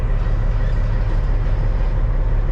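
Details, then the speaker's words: CAT C15 diesel truck with an idle shake and miss at certain RPMs: deep, even idle rumble with no misses or stumbles, slight movement on the shake meter; normal, very smooth idle. "see it's a very smooth idle I got a little bit of movement on the shako meter 5000 over"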